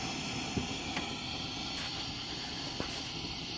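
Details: Old Wenzel kerosene pressure lantern, first fire after cleanup, burning after priming: steady even hiss-roar with a few faint clicks; burner burning normally.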